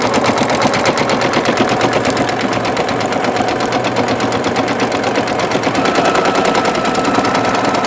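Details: Singer Futura XL 550 after fixing bobbin-area rattle: even rapid stitching rhythm, clean and steady with no rattle; machine running normally.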